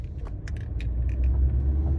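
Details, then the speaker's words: 2011 Hyundai Elantra on a road drive, short sharp knocks and rattles over road rumble from the front passenger side. The front sway bar link felt too soft and was suspected, after suspecting the sway bar link or the control arm. "This cars have problem at knocking in passenger side, so we will see what the problem and fix it. This problem maybe will come from swipe bar or maybe control arm."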